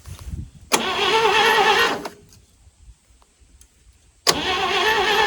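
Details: 1940s GMC 6x6 two-engine military truck, sitting 40 years, spark checker test: two one-second bursts of even cranking with a quiet gap, no firing; turns well.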